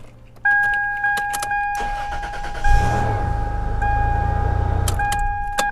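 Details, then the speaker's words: 1998 Toyota 4Runner after the failing immobiliser was removed, retest start: steady chime, short crank, engine catches at once and settles into an even, smooth idle, a normal start. "awesome immobilizer removed"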